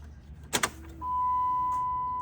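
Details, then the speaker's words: $100 Jeep Grand Cherokee non-runner fed from a temporary 2-gallon tank: key-on click then steady high hum over a second, fuel pump priming normally before it starts. "I heard a fuel pump let's cycle it twice"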